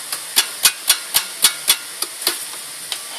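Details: Pumaspeed aftermarket muffler, second clip: sharp, uneven metallic ticks about four a second with no engine rumble underneath; knocking from the muffler, cause unknown.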